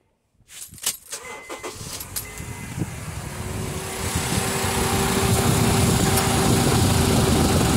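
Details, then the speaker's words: 2007 Honda CR-V after an AC repair (clutch shim removed to reduce the gap, new relay fitted): the engine starts and runs steadily with a light, even hum from the now-engaging compressor. AC working. "aircon system is running so another problem solved"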